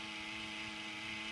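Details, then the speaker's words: TiVo Series 3 HD (TCD652160) original fan after slowing down: thin steady whine with fixed tones and rough airy buzz, still noisy with little airflow; noisy worn cooling fan. "it's still making noise if we check the airflow not much at all"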